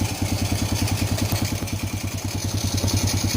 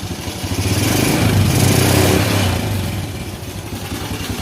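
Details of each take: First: Honda Supra Fit New motorcycle after repair for heavy smoke and rough, noisy engine, engine reassembled: quick, even putter at idle with steady low thump and no ticking, engine sounding normal again. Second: Honda Supra Fit New motorcycle running before repair, blowing heavy smoke: loud, rough, clattery idle with an uneven pulse around four beats a second; worn cylinder and piston, needs a rebore.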